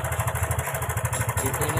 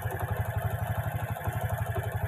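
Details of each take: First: Karisma motorcycle with a very rough engine sound and oil leaking from the block. Fast metallic ticking, roughly ten a second, over a ragged idle; the cam chain may be slack or the automatic tensioner no longer working, not yet determined. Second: Honda Karisma motorcycle, previously very rough with loud ticking and heavy oil leak, after replacing cam chain and tensioner, repairing the leak and cleaning oil and valve rings: steady, even low idle thump with no ticking or rattle; normal idle.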